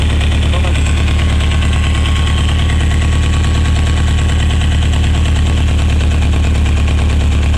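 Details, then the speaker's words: Renovated, cleaned Mexican VW Beetle (Vocho) with an air-cooled 1600 fuel-injected flat-four and external oil cooler, started and idling: a steady, even low chug with no knocks or rattles, a healthy smooth idle. "On va faire tourner un petit peu ce moteur, là on va entendre un petit peu le bruit qu'il fait."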